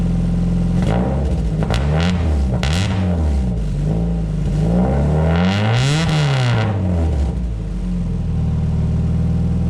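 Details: Exocet after fender bender, with new fabricated stainless 2.5-inch slant-tip tailpipe, in closed barn: very loud raw exhaust rising and falling cleanly with throttle blips; same as straight-piped, no leaks heard.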